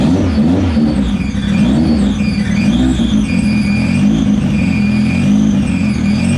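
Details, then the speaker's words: Steady revving with a whirring scrape whose pitch rises and falls with revs. The flywheel rubs inside the bell housing, a known issue with comp twin-disc clutches on some H-series. It self-clearanced and is harmless. "Okay guys, that noise we heard earlier, know what it is, no problem, she's good, self-clearanced. I forget that this is an issue with the comp twin disc clutches, the flywheel on some of the H series."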